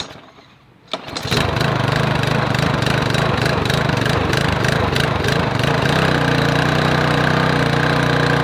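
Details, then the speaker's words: Lawn mower engine after drilling out broken muffler bolts and refitting the muffler, air cleaner assembly off: pulls over, catches, settles into slightly uneven putter; unresolved carburetor and choke issues. "right, so that sounds pretty good. Obviously it's got some carburetor and choke issues that I haven't resolved yet."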